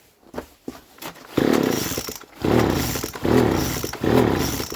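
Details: Poulan leaf blower (two-stroke) with modified, drilled muffler, full-throttle test from about five to six feet before muffler replacement: four harsh raspy snarling bursts, much louder than stock; holed muffler letting exhaust out unsilenced.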